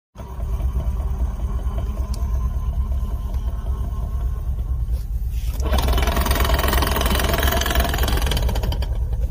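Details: Lada Niva transfer case rebuilt with new gears and bearings, under load: heavy low rumble with rough, uneven knocking about three per second and strong vibration; cause was a factory-defective large drive-shaft gear with one tooth not fully cut.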